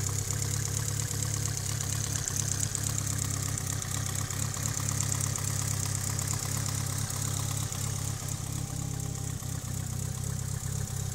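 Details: Mitsubishi Evo 8 at steady idle with a light fast tick about two per second in the top end; owner suspects lifter tick, unconfirmed. Ticking at idle.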